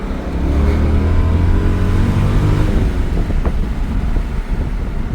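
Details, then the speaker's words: BMW E39 M5 with Dinan S1 conversion and carbon intakes, warmed up after a 5-10 minute drive: deep, even intake induction roar swelling under hard acceleration, then easing off; a healthy engine. "man I've never had an M5 with intakes and I have to admit man have I been missing out it sounds crazy I don't know if it's just cuz the dining and they carbon but it sounds great"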